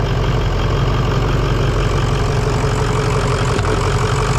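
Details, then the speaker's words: Truck with a 6.0 L diesel, idling after a portable jump-starter start: deep, even diesel clatter holding a steady idle with no misses or knocks; normal idle. "there you have it jump starter top Dawn comes in handy even for a diesel 60"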